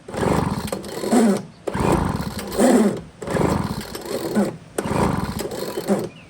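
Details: Poulan Pro blower, bought used with a PP3516AVX chainsaw, started on full choke after priming; the starter pulls very easily. Small two-stroke revs up and drops back about every 1.5 seconds, catching cleanly each time. Blower runs fine.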